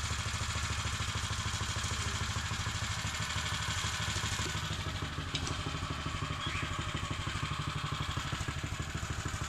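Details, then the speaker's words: Custom Mega Moto 80 minibike, chain off, in the garage after fixing upside-down carburetor floats: even, quick single-cylinder putter at steady speed with no misses or surging; runs cleanly, sounds hardy. "but it looks good and it sounds good it sounds really Hardy now I'm glad to see that it's running"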